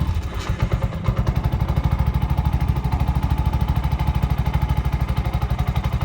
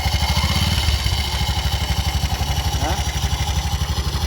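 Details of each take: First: Bajaj BS6 after timing chain repair and complete refitting: even, steady idle thump around 190 beats a minute, no knocks or rattles; now smooth and silent, chain noise gone, check light may still show. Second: Bajaj BS6 auto that has run with this noise since another mechanic fitted a timing chain: uneven idle with dry rattling chatter about four a second, timing chain rubbing, worn, touching and holing the case so oil leaks out.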